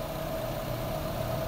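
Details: Chevrolet Aveo idling with AC on during warm-up after replacing a compressor that had no compression with a brand-new one; steady idle with faint even compressor whine, no knocking or grinding: normal.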